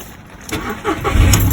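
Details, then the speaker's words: Seat Ibiza 1.2 MK3 started right after a fuel pump replacement, pump heard priming first; brief cranking catches within a second on the first try and settles into a strong, even idle. "there you go started that first time so we're just going to let the fuel run through"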